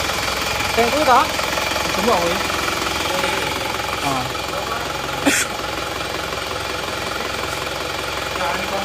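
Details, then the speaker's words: Isuzu Panther LS automatic diesel after blow-by repair with four new original liners: steady, even idle clatter with no knocks or misses; engine now smooth. "Nah ini untuk mesinnya suaranya seperti ini Alhamdulillah sudah halus ya"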